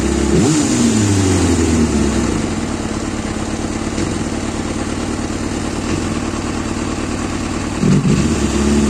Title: zxr 400 L9 rough idle, delay to response, hang 2k rpm